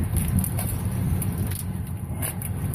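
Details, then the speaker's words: 2007 Ford F150 that cranked but wouldn't start, idling after the broken fuel pump driver module was reconnected: low, even rumble with a steady pulse, no misses or knocks. Normal idle after repair. "There we go. She's running. It didn't cost me $400. It didn't cost me $100. It cost me $0."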